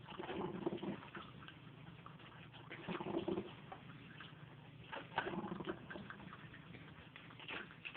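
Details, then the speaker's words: Rival drip coffee maker while brewing: quick, uneven loud clicks, several a second, over soft gurgling; cause of the clicking unknown. "so I would spend $20 on a better coffee maker purly because of the noise the clicking sound that it makes"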